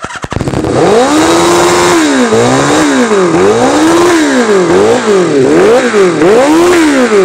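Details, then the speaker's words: 1983 Kawasaki GPZ550 garage find after carburetor work, revving to about 6,000 rpm at idle and hunting up and down with no throttle; pod filters and previous owner's jetting suspected — high idle surging. "okay so that last scene there we had the bike running and it was revving up to about 6,000 rpms at idle not so good"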